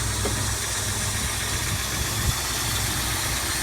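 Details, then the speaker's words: 1989 Plymouth Acclaim engine idling right after start: smooth, steady, even low hum with no knocks, ticks or belt squeal; normal healthy engine. "And this motor actually sounds pretty much exactly the way it should. No major, no knocks, no ticks, no belt squealing or anything else like that. It's running nice and smooth, nice and quiet."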